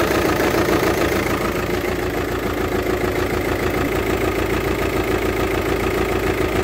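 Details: VW Touran 2.0 TDI diesel at idle with a harsh, uneven clatter pulsing about three times a second over the rumble, from a faulty injector.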